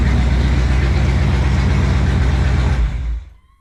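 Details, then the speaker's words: 1975 Pontiac Firebird Formula with rebuilt Pontiac 400 V8 and new starter, in a closed garage; deep even idle burble with a steady low beat, no knocks or misses, then shuts off cleanly, healthy. "in a closed off garage, but she runs good, starts good. It's a good little motor."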